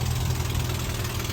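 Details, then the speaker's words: M38A1 army truck idling during a winter warm-up: a low, steady idle with a quick puffing tick on each firing pulse. This is an exhaust manifold leak, probably from a warped manifold that is due for replacement. "as you can hear she does have a little bit of an exhaust leak so uh guess what folks that's going to be this spring project so we have some leaks at the exhaust manifold"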